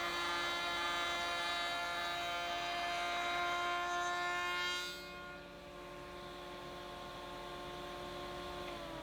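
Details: AEG MF 1400 KE router (same as Ridgid R2930), after replacing both bearings (main bearing was worn): steady high whine under cutting load, a dip, then smooth even running, no grinding or rattle; works as well as before.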